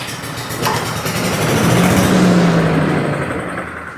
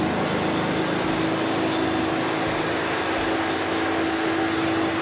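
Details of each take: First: Cub Cadet leaf vacuum/chipper brought in for no-start; with compression, spark and air confirmed, the small engine catches on a shot of starting fluid, runs ragged a couple of seconds and dies; fuel-related problem, runs only on starting fluid. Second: Cub Cadet leaf vacuum that would not start, after a carb rebuild and started on choke: loud steady fan roar with an even engine hum, running smoothly.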